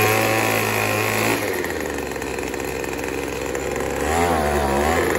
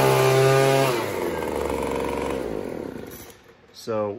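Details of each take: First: Craftsman 25cc two-stroke leaf blower running 40:1 mix. It starts fine, but squeezing the trigger makes the buzzy note drop sharply, waver and labour unevenly, then die. The bog down points to a lean mixture, and turning the carburetor screw counterclockwise is being tried. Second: Craftsman 25cc two-stroke blower that bogged down on trigger squeeze, after turning the D-shaped carburetor adjustment screw counterclockwise: revs up cleanly to a high, steady scream, then winds down smoothly with no bogging or stumbling; normal revving.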